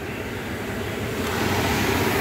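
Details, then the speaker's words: Lochinvar boiler after blower motor and housing replacement (old bearings going bad), flame lit and hot: smooth steady airy rush building slightly then holding even, no bearing growl or rattle; normal blower running. "It doesn't look like I'm gonna have to adjust that. It's just gonna work. That's the way I like it. Yep, she's hot."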